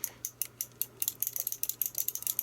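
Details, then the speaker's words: ArcadeR retro joystick with proper microswitches inside: crisp, sharp clicks in quick irregular bursts as the stick moves, each switch snapping cleanly; healthy microswitches. "Lovely micro switches in there."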